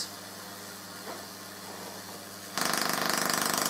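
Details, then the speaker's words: Full-bridge PLL solid-state Tesla coil in first low-power tests, with PLL re-enabled, antenna off ground and tuning at its lowest: steady hum, then harsh buzz of arcs pulsing about three or four a second, acting interrupted though no interrupter is fitted; cause unclear. "now if I turn it on it's acting more like an interrupted coil even though I've got absolutely no interruptor on this at all"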